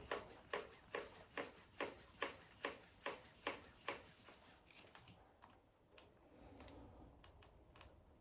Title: RockShox DeLuxe Ultimate in Canyon Lux knocking noise